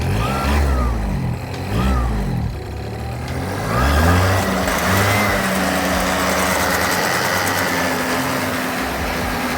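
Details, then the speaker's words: Cheap project two-stroke scooter after carburetor fiddling, kick-started: note surges and sags for a few seconds then holds a rough wavering speed; erratic running, owner suspects too lean when given throttle. "It's kind of all over the place. So, what I'm going to do now is take out this throttle because I think it's too lean when we give it throttle, and that's why it's what"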